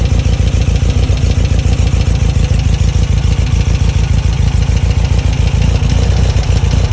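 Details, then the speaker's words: Dual 40 mm Spanish Weber IDF carburetors being synchronized, idling after the idle jet was removed and cleaned; steady, even low burble with regular firing beat, idle now different and settled, normal. "Different, gotta idle different."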